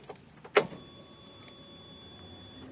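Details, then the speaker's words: Suzuki APV (G15 engine) that suddenly died while driving, suspected broken timing belt; camera held against the fuel tank with engine off: after a click, a steady heavy hum shows the in-tank fuel pump working fully. "Masih terdengar suara full pump bekerja maksimal yo, karena masih dengung yo, dengung berat kan?"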